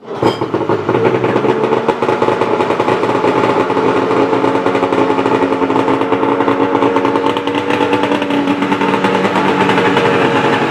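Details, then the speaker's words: 2001 Polaris XCF 440 snowmobile two-stroke, cold start after sitting a day, no choke, after new carb clamps and fuel and oil lines: settles straight into steady buzzy run without stumbling; healthy cold start. "Let me let you hear it real quick. It is a cold start. It's been sitting for a day, yeah, and no choke."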